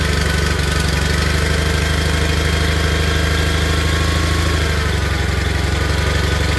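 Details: Old Onan/Perkins-powered tractor engine, cold start, running on half to a third choke: steady, even low thump at fast idle with no misses or knocks. It levels out as exhaust moisture clears. Normal cold-start idle on choke.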